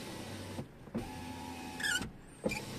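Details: Tesla Model 3 power window motor hums through two short runs with faint high squeaks near end of travel; windows squeak in rain, seal lubricated with silicone spray as the fix; power window seal squeak.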